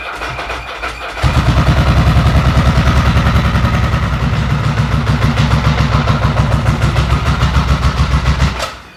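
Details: Ducati 900SS 2V twin idling: lumpy uneven thump about three beats per second; only one cylinder firing, front pipe cold, pickup coil reads open circuit (fails when hot), needs replacing.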